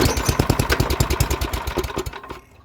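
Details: MTD 24-inch snowblower with 8 hp Tecumseh engine, dirty carburetor bowl, fresh gas, full choke, throttle low, primed: quick even puffs around eight a second fade away without catching; cranking, no start.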